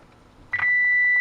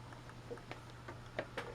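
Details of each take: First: 1941 Motorola 83K1 antique radio under repair, after a replacement coil of about the same ohms was wired in: a brief click, then a steady, loud, clean high injected tone from the speaker; the output stage works, but the front end gives nothing. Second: 1941 Motorola 83K1 radio being fitted with Bluetooth, signal injected past the tone control at a tube top cap: faint steady tone near 500 Hz barely above hiss and clicks; signal getting lost in tube stages, suspected.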